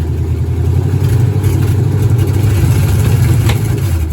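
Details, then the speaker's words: 1970 Dodge Charger low-deck big-block Mopar V8 with MSD 6AL box and repaired factory electronic distributor, rev limiter set at 2,000 rpm: deep rumble held hard around 2,000 rpm with a choppy, stuttering beat, spitting flames; rev limiter cutting spark, feared hard on exhaust valves. "Oh, yeah. Boy, that sounds interesting, right? That's a good how to burn up your exhaust valve or something. That has to be bad."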